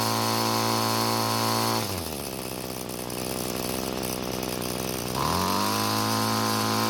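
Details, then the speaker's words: Free curbside Bolens two-stroke string trimmer that wouldn't start, carb fuel screw being turned counterclockwise after clockwise killed it: high buzz sags to a lower, choppier note for three seconds, then climbs back; fastest setting never found, low top speed. "so what i did was i turned the screw counterclockwise to find when the engine was running the fastest but i was never able to find it"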